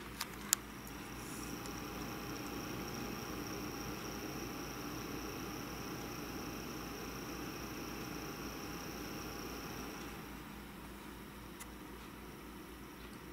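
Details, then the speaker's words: Dell OptiPlex 960 SFF main CPU cooling fan, to be replaced with a Noctua NF-A8 PWM: steady rushing whir with a thin high whine and fainter hum beneath, never settling; worn, failing fan bearings. "one of them is replacing the main cooling fan since its bearings are going bad so let me shut up for a little bit so you can actually hear what the fan sounds"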